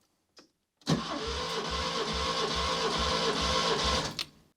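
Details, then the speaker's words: Barn-find Škoda 105, suspected of running on three cylinders, cranked at full throttle for a compression test on cylinder one. Even, strong thumps with no weak beat: almost 170 psi (around 168), higher than expected and healthy. "i'd say that is almost 170 psi that's a lot higher than i was expecting actually"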